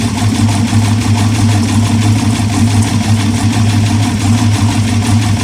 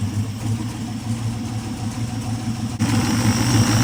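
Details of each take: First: Aluminum 6.0 LS (LFA) from hybrid Escalade, first test fire with MSD 6014 ignition box: loud rough idle with uneven clattery tapping and a slight miss, engine shaking; cause of tapping unconfirmed. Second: Aluminum 6.0-litre LS engine (LFA, from hybrid Escalade) test-fired on run stand with mufflers: even running with a quick rev rise, earlier tapping noise quieting and basically gone; valve covers later show oil reaching the top.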